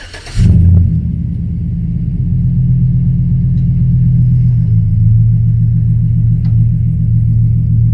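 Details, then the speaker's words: 2007 Silverado V8 after an exhaust leak repair at a cracked header; it previously hummed and rattled at idle. Cold start settles to a deep, even idle with no ticking or buzzing; normal idle. "Alright, well, success on the truck anyway. Well, partially success."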